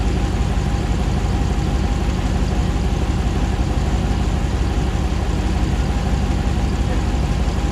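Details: 2009 Hemi 1500 TRX4 auction truck, first start after months of rebuilding: smooth steady V8 idle pulsing about three times a second, about 87 psi oil pressure, no misses, ticks, knocks or jerking as before while warming; normal idle.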